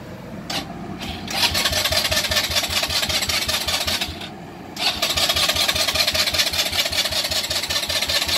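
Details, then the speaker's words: 2018 Polaris Phoenix 200 ATV, bought new, after sitting nine hours, in neutral: starter cranks with rasping uneven chug, pauses, cranks again, never catches; no-start caused by wrong carburetor needle clip position, fixed by dealer. "nothing can't get started at all"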